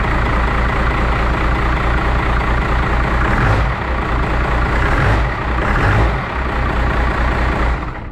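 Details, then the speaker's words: 1st-gen 12-valve Cummins 5.9L diesel just after injector install and line bleeding: heavy clatter with an uneven, lumpy beat that never settles into a clean idle; rough running, owner suspects air still in the lines. "still kind of sounds like crap so we're gonna go ahead and see if we can bleed them again real quick"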